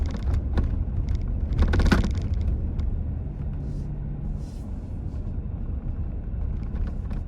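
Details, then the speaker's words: 2025 Toyota Tacoma TRD Sport (4th gen), inside the cab on a test drive; steady low road rumble with sharp light clicks and rattles over bumps: interior rattles. "Okay, that's a pretty good representation of the noises and things that you're gonna get, or at least that I'm getting in my truck."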